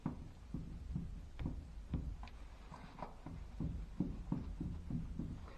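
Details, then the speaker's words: Dull, hollow knocks about twice a second as the raised front wheel of a 1965 International Scout 80 (Dana 27 front axle) is rocked 12-to-6 o'clock, with no side-to-side play: worn steering knuckle components. "you can hear the knockings means there's some worn components in this and this is the reason I'm taking it apart so I can obviously take a look to see what the problem is and replace those parts"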